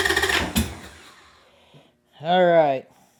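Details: 1998 Harley-Davidson Sportster unstarted for over a year, stale gas, dirty fuel filter, new lithium battery, cranking: short burst of ragged pops as it catches briefly then dies; owner suspects it may be flooded.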